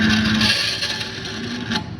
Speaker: You see how it made the screech at the end? Okay, that's why we slow down and we push it all the way through.